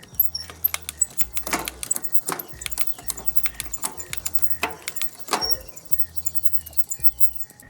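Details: Cheap used mountain bike on a stand after rear derailleur cable and limit-screw adjustment: crisp metallic shift clicks and light chain rattle as it steps cleanly through the gears, music underneath.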